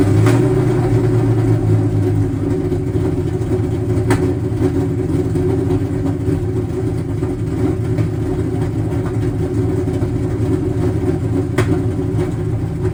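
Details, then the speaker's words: Rough, lumpy V8 idle on a Cobra with a Comp cam on a stock tune and 24 lb injectors, idle screw opened about half a turn to keep it running; frequent backfiring, idle unsettled and wandering, cause not confirmed. "the car should run, but idle probably won't be too happy. I still hear the car backfiring a pretty fair bit."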